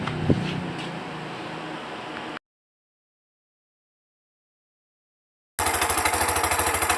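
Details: Bajaj RE whose dirty throttle body caused lost idle, weak pull and misfiring: after four ECU error codes are deleted and the engine is started, it picks up into a steady, evenly paced idle with no stumble or misfire.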